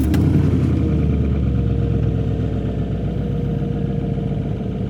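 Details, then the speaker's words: 2004 GMC Sierra diesel after new injectors fitted and tune updated, before adding turbo, at idle: steady rumble with hard rapid clatter; injectors very loud, sounding like an old diesel. "I've been driving the truck for a couple days and everything's great, but the injectors are freaking loud."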